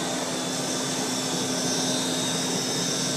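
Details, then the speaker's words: 1940s Eureka Roto Matic Model 800 vacuum, the quietest in the collection: an even airy whoosh over a low steady hum, with no scraping or wavering. Normal motor hum. "it just has that little hum to it that's so pleasant to listen to while you go back"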